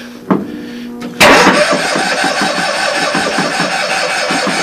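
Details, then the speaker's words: Old Cushman pickup cold start attempt on jump with choke pulled, possibly weak battery, fuel pump removed and gas tank added: starter cranks steadily but engine never fires; cranks, won't start. "H not even a try oh wait a minute I might have something here one more time I got kind of a kick before mebe let's try uh no choke"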